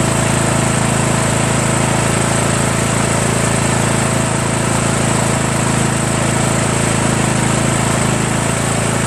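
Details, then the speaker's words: 1996 Craftsman LT1000 42 hydro lawn tractor, first run after new reproduction Nikki carburetor and starter, fuel mixture not yet adjusted: steady, even single-cylinder drone with no stumbling, surging or misses; seems to run really well. "but how about that guys huh engine runs seems like it runs really well too"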